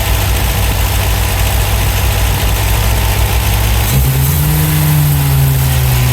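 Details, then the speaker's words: 1971 MGB GT, after cleaning the carbs: low, slightly lumpy idle, then a small rise in revs. Better than before but still not smooth; plugs to be checked and cleaned. "Certainly a lot better than it was. Right, we'll do a bit more fettling and we'll go from there."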